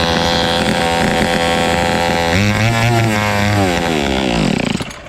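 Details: Fubag FPT 52 two-stroke trimmer that wouldn't start because of heavy fuel flooding, now running with its carburetor refitted: even buzz, pitch climbing and falling cleanly with throttle before shutting off; runs smoothly with no misfire.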